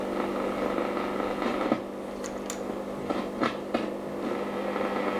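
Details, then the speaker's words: 1937 Telefunken Torn.E.b. WW2 radio with antenna: steady hiss with irregular sharp crackles and quiet dropouts while tuning, sounding like arcing; found to be a missing ground connection on the tuning shaft. "so here it sounds like it's working [Music] okay and here not so much it sounds quiet now it sounds like it's arcing or something like that"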